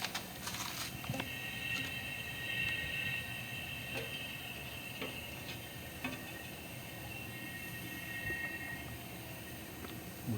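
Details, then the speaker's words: Vintage Datsun 280Z misfire diagnosis, cylinder pressurized in a leak test: steady hiss with a faint whistle and air felt at the exhaust pipe, none from the crankcase; the exhaust valve is not sealing. "I could feel it you have to trust me on this feel a cool breeze coming out of that exhaust"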